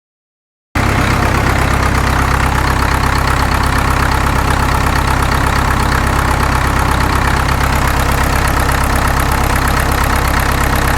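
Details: Caterpillar D2 #5J1113 diesel, engine not fully broken in, idling during a return-port injector test: steady idle with an occasional uneven pop; number 4 injector overflows its return port while the other three are fine, internal leakage.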